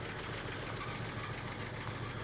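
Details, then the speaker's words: 1941 Chevy coupe after about five minutes running, temperature gauge holding at half, coolant slightly low: low, steady, even warm idle with no knocks or misses, running rich with occasional tailpipe pops. "Seems pretty happy. Gauge is holding right at half."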